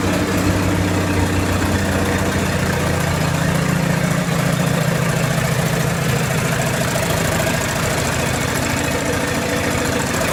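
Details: 1928 Farmall Regular tractor idling after carburetor tweaks, just started with timing advanced about halfway: low, even putter drifting slightly in pitch as the idle is set, no knocks or misses; healthy normal idle.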